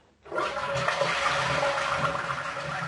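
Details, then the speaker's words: Normal end-of-flush toilet gurgle: steady rushing flush with low, uneven glugging pulses about four a second as air travels up the pipe after the water leaves the bowl. "here comes the gurgle so now you know that that noise is the sound of air traveling up the pipe to stop the flush"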